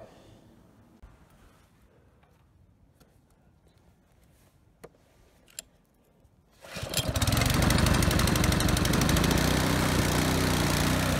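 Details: Husky HU80709A power washer engine, single-speed, after carburetor cleaning (needle and float checked) to fix a no-start: pull start catches and runs at a steady, fast, even beat without surging; running properly.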